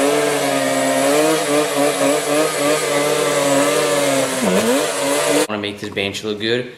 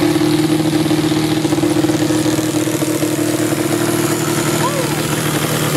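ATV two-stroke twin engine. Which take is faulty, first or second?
second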